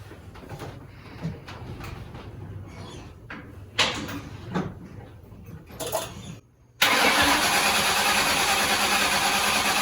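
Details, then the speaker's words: 1997 Cobra first start after an oil change, new coils and wires, and a carb-cleaner-cleaned throttle body, with a K&N intake and new fuel filter fitted. It cranks a moment, catches sharply and settles into a steady, even idle; healthy. "Alright, so far so good. Started up pretty good. It took a second for it to crank over because we had cleaned that throttle body, sprayed a bunch of carb cleaner up in there."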